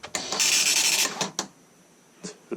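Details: 1984 Commodore MPS 801 dot matrix printer printing Hello World in 2021 with dry ink ribbon: harsh high-pitched rasping print-head buzz in a quick burst, then short mechanical clicks; printer working normally.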